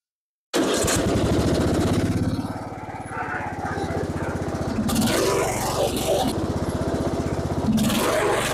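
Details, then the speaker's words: Lawn tractor with rebuilt single-cylinder engine, after many successive faults were fixed: steady, even thumping with no misses or stumbles; the tractor now starts and drives normally. "Maintenant, je suis heureux de vous annoncer que le tracteur démarre et roule, le plus important."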